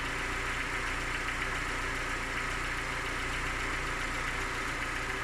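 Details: Engine knocks when cold: light, steady ticking knock over the engine hum at cold idle, fading as it warms and gone by 90 °C; compression 11 in all cylinders when hot; cause unknown, owner asks what it could be.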